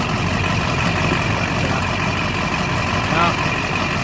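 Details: LB7 Duramax diesel after fuel filter head delete, still cold: steady diesel clatter at cold idle with an even rhythm, no misses or knocks; owner says it runs good with little fuel restriction.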